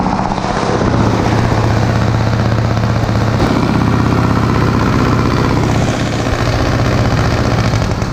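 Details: 1936 Caterpillar RD7 crawler, pony starting engine just rebuilt from parts units after water seized it, first start: loud, steady, even low chugging, firing cleanly with no misses or knocks; normal running.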